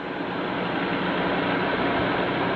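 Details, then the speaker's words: Delta 31-260X drum sander running clean, feed belt motor off: steady even whir with no rumble, wobble or bearing growl; drum very smooth and well balanced, good quality bearings. "very smooth and well balanced. And you can tell the bearings are pretty good quality."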